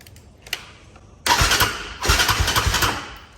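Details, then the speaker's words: Can-Am DS450 ATV: click, then the starter labors through uneven compression pulses, about eight or nine a second, without firing; slow crank, cranked fast the day before, suspected bad battery or bad connection. "well we got a bad connection or something because it wasn't doing that yesterday it was cranking over so fast"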